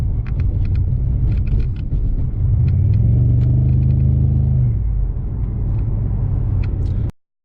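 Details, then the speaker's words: 2005 Pontiac Grand Prix GXP, 5.3 LS4 V8, no codes or check-engine light: deep rumble swelling with throttle, lumpy uneven pulse under load, very shaky, owner suspects it runs on only a couple of cylinders; misfire, cause unknown. "yeah it's still very shaky"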